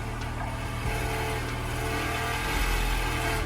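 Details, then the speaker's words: 2000 Honda Civic DX hatch with B18C1 GSR swap, unrun over a decade, starting after 12 V bypass to EFI main relay (voltage drop found): catches and settles into steady mid-pitched run with slight rev lift; normal running. "it's running it's running she's Alive stuff so far 12 volts adding to or the bypassing with 12 volts to the main relay seems to be the main resolution"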